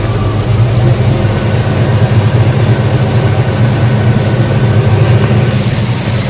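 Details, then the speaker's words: 1966 Ford Mustang power steering after a fluid flush, run 5–10 minutes with air purged and level adjusted, full car weight on the wheels: steady low idle, no whine or groan; pump quiet. "you can see they're very nice and quiet with the full load full weight of the car on it"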